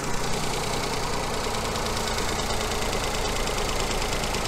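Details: 2018 Ford Fiesta, 3-cylinder non-turbo petrol engine with coil-on-plug ignition, at idle during an oscilloscope coil check with a coin on the coil. Steady, even idle hum with no missed beats or knocks. Normal idle.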